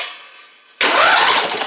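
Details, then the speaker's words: Poulan Pro (Craftsman) rider with Briggs V-twin, after refitting the starter whose spring was on the wrong side and ground the plastic gears: starter engages cleanly and spins the engine without grinding or hang-up. "There we go, that's much better."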